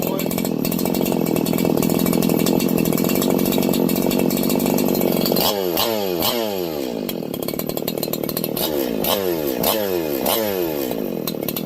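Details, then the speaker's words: Freshly ported Husqvarna 4910/501p chainsaw on its first run after porting, with the exhaust opened and the low jet over two turns out: a steady high scream with clean, crisp throttle rises and falls, no bogging; it runs normally and is well fuelled. "So, I guess it needed a lot more fuel after the modifications I did. I bet I'm over I'm I'm over two turns out now on the low jet. Oh, that thing sounds like a freak."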